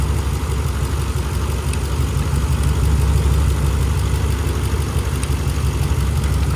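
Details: 2011 Ram 1500 5.7 Hemi 4x4 that cranked but wouldn't start for two months despite new plugs and injectors, now running on a temporary fix: deep, even V8 idle rumble, no stumbles or misses, running fine.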